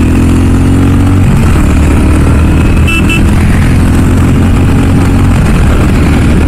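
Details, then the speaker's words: Royal Enfield Classic 350 single-cylinder being ridden at 20,000 km after its fifth service: steady low thump with even pitch, plus a brief horn toot over traffic; the rider notes the classic thump and no vibration. Healthy running. "அந்த தம்பு sound கேக்குது but still அந்த ஒரு பழைய royal enfield sound இருக்கும் பாத்தீங்களா அது இப்போதைக்கு கொண்டு வரல"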